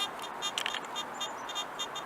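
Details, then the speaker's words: Garrett AT Gold metal detector control box: a faint, high, crackly chatter in short bursts about three per second, which persists with the search coil disconnected. Owner suspects a loose headphone jack; the cause is not confirmed. "okay so if you guys can hear that it is chattering which is good"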